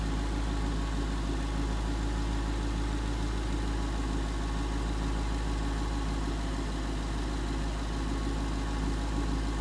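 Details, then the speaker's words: 2011 Ford Mustang GT 5.0 Coyote V8 with Roush exhaust at first start in an echoey garage, after all eight rod bearings (King CR868SI) and TTY rod bolts were replaced and 5W-30 added: steady, even idle, deep burble; earlier tick and knock gone. "so indeed the tick was gone but that footage was in a garage and it was pretty echoey with the Roush exhaust"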